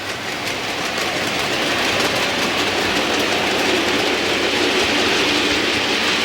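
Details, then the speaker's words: Model train loco rolling over a track joint after fixing the track to cure bouncing: steady wheel rumble, light even clicks about three a second, no banging or rattling, fairly quiet; normal smooth running. "And as you can hear, no banging and rattling. Fairly quiet, so quite pleased about that. All running smoothly."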